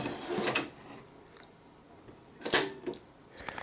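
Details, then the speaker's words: Panasonic SC-313 compact stereo found at the dump, with everything reported working, during power-on and CD operation: a few sharp clicks and short motor whirrs as the tray cycles cleanly without grinding. Normal operation. "And this one I just found today at the dump, and everything works on it."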